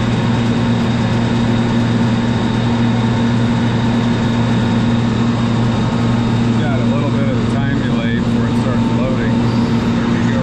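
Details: Kaeser DS200 150 HP air-cooled rotary screw compressor, 460 V three-phase, built 1990, 47,597 load and 56,834 run hours, with new oil and filter, started from empty. It gives a steady, even low hum with no knocks or grinding; tested and works.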